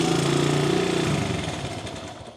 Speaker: Sounds like a Honda. That don't even sound bad. Goes in gear. Does burnout stuff. It's a little rattly.